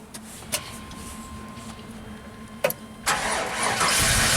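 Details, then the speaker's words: 1995 Pace Arrow Coronado motorhome generator after wiring repair and reconnected ground: cranks and catches after a couple of clicks, then runs steady and even, charging at 75 amps; normal running. "So now I bet it should run. It should run fine. We're charging at 75 amps, that's good."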